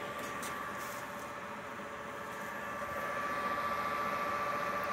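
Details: Vintage Cyberlight moving-head fixture powered on with lamp lit under DMX: soft, steady airy whoosh with faint constant tone, no rattles or scraping; lamp cooling fan spinning normally.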